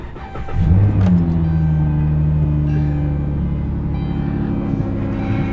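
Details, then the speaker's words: 62TE transmission, 300k-mile rideshare car, code P0944 stored: right after start, a loud steady droning hum over the idle that stays constant; transmission noise, mechanic suspects front pump failure and debris. "Uh-oh. Yep, like I say, I can almost guarantee you she have a front pump failure and a lot of trash in her pants."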